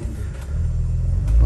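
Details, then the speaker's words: 2008 Dodge Sprinter diesel van with the DPF deleted, codes P0428 and P242F, rough and shaky at start-up, revved before driving: low rumble climbs a little, then stalls out. Limp mode stops it revving past 3000 rpm. "let's see if actually we could accelerate beyond 3000 rpms we cannot okay that is not good"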